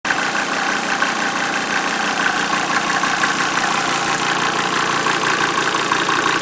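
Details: 1988 Mercedes 190D diesel running on waste vegetable oil, idling with a loud, harsh, loose metallic clanging that beats unevenly over the normal diesel knock. It also smokes heavily and the cabin reeks of diesel; owner asks if this is normal, cause unidentified.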